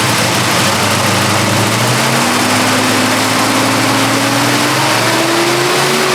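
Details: 1972 Chevrolet Chevelle with 454 cid big block V8, 3.43 gear ratio, started after undercarriage inspection: strong, even V8 note climbing smoothly in pitch as revs rise, no knocks or misses; normal running.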